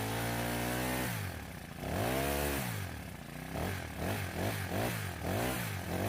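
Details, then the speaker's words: Honda grass cutter that would not take throttle, after valve adjustment and idle screw turned in a couple of turns: steady idle then clean revs rising and falling smoothly, no stumbling; throttle response now normal. "So engine is taking the throttle and it's working perfectly fine."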